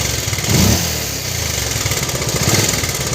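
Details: Bajaj Pulsar 150 at a short idle with a rough, uneven clatter and pulsing over the engine note; something mechanical is wrong, cause unknown. Abnormal engine noise.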